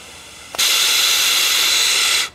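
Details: Yamaha XV 250 Virago vacuum fuel tap on the bench, final test after rebuilding with the old diaphragm repair kit, vacuum applied with a vacuum gun: a sharp click, then a steady high airy hiss under two seconds as air flows; tap opens properly.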